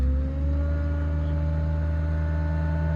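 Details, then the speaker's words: 2011 Ford F-550 with Stellar 7621 crane, parked with brake set, PTO switched on: steady low drone with several even tones, one rising as the engine idles up; PTO engaging normally, PTO chatter common on these trucks. "up and you hear a different noise. That's your PTO kicking on."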